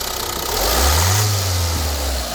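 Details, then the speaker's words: Opel Movano biturbo diesel with recently replaced injector nozzles, one injector knocking only under road load; blip from idle with current clamp on cylinder 1 injector and microphone fitted: smooth rise and return, even rumble, no knock; normal free rev. "как видите на перегазовки звука не слышно то есть на холостых даже нагрузочку даешь звука этого не ответили работает чётко"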